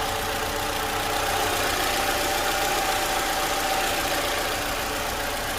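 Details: 2012 Toyota Camry 2AR-FE after engine noise repair, idling after a cold start: steady even idle with light uniform valvetrain patter and no knocks or irregular beats; normal idle.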